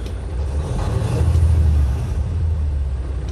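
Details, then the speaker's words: Freightliner Cascadia DD15 diesel revved after cam housing replacement and timing reset to fix a leak, deep even rumble rising and easing with throttle, no knocking or ticking; engine sounds healthy. "so everything looks alright so there is no weird noises no knocking noises that's one important"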